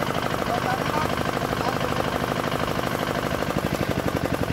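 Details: D10 R190 single-cylinder diesel at idle, brought in for hard starting and a horn-like chirping noise behind the rear cover; two bolts on top tightened, now starts easily. Steady even knock, equal-strength beats, no misses or gurgle.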